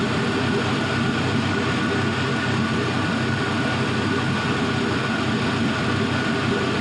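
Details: 5.3L Gen 3 LM7 V8 with 180k miles, idling warm at 170°F coolant temperature: smooth, steady rumble with even exhaust pulses, no smoke, ticks or misses; normal idle.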